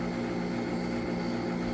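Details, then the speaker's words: Homemade water-heater heat pump on first full test: compressor and fan running, submersible water pump the loudest; steady even hum without knocks or rattles; normal running. "the loudest thing over there of course is that submergible pump pressor's running fan already was running"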